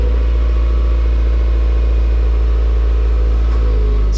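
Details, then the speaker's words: MY15 Subaru WRX with MRT Performance exhaust, stock rear mufflers retained, heard inside the car. Cold start: deep, steady booming drone at a raised idle with a smooth, even beat. Normal cold-start fast idle, quieting to near-stock after about 1.5–2 minutes. "that was a cold start and as you can hear it is a little bit fatty and it is quite booming inside the car"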